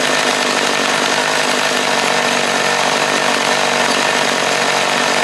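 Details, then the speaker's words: Stihl chainsaw just after carburetor cleaning and readjustment, running on half choke: steady high-pitched buzz without throttle, idle speed set too high and needing to be turned down. "There we go. Half choke it. Yeah. Got to turn the idle down."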